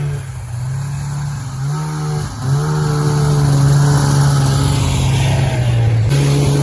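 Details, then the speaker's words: 1994 Polaris Indy 440 snowmobile, rebuilt fuel pump, airbox reinstalled: two-stroke rises in pitch under throttle then flattens and sags; bogs, won't climb past 4–5K rpm, though no longer dying, idle slightly low. "well it's not dying anymore although it's seems to be bogging a little bit last time I had no issues at all H hitting Red Line this time it doesn't seem to want to climb past 4 or 5K"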